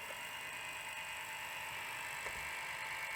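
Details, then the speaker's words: Sony SL700ME multi-format Betamax VCR (711B3-type deck), about 10 years owned, long unused, playing a tape: steady high-pitched whirring hiss with faint ticking rattle; very noisy, badly worn video head drum bearings. "so so noisy so I mean it's great it's really really good um this is a shame those bearings are so bad"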